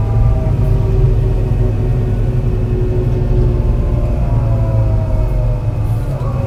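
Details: Torrens Transit Adelaide bus #757, MAN NL202 on CNG with ZF Ecomat 5-speed automatic, climbing hilly G21 route to Aberfoyle Hub through the gears; stumbling uneven rumble that dips and catches: bad engine misfire under load.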